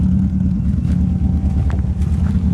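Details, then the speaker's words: Engine just fixed after a no-start, running at idle: a slight cammy, choppy, lopey uneven exhaust beat; it ran poorly earlier and the owner expects it to run badly on the road; rough idle, cause unknown. "So, like I said, we got it running. It runs pretty decent on idle. Got a slight almost cammy choppy sound at idle."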